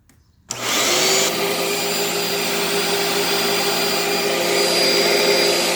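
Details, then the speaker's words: Dirt Devil Breeze vacuum: motor spins up to a steady high whine with no brush roll thrash underneath; drive belt broken, brush roll possibly bad, plugged, or with bearings needing lubrication. "Well, that belt is shot. Not a surprise with these. The belts on these go bad way too often."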